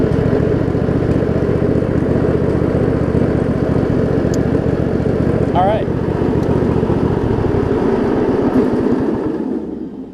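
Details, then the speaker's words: Craftsman riding mower with Briggs V-twin, driving after broken shift hub repair; even low engine drone steady as mower moves off, no grinding or clunking from transmission. Transaxle still to be adjusted further. Normal running. "there we go it is now driving tractor thankfully"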